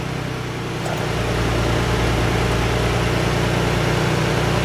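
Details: 2011 Ford F-150 4x4, 3.7 V6, idling smoothly after flywheel replacement (damaged flywheel teeth caused intermittent starter grind); low steady hum with even beat, no grinding or knocking; blend door actuator clicking during relearn noted separately.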